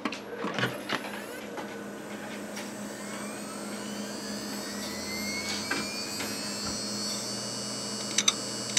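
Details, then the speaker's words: Old Core 2 Duo PC from about 2012 at power-on: thin steady whine with irregular ticks and sharp clicks. Failing hard drive; the machine reaches the boot screen, then reports a drive failure. "doesn't sound good does it now that's the sound of a failing harddrive"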